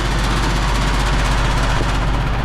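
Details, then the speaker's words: Split-system heat pump outdoor condensing unit running with compressor on, suction line warm and condenser fan running; deep steady drone with a shuddering low rumble as the unit shakes heavily. "thing is shaking like crazy."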